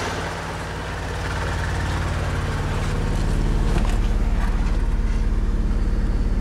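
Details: 1999 Mitsubishi Eclipse idling with a deep, rhythmic exhaust throb and a recurring stumble in the beat; the owner doesn't know the cause. Engine misfire at idle.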